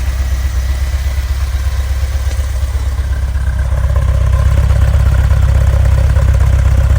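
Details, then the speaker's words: Volkswagen Vanagon stock 2.1L water-cooled boxer, warmed up: low even idle, steady beat, no misses or knocks; runs smoothly warm though rough when cold and cuts out intermittently. "all right here it is running running pretty smooth right now it's warmed"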